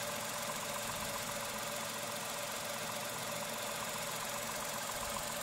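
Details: Tata Altroz petrol at about 5,500 km: quiet, even hum at steady idle with no knocking, rough misses or shake; a smooth, refined, healthy engine.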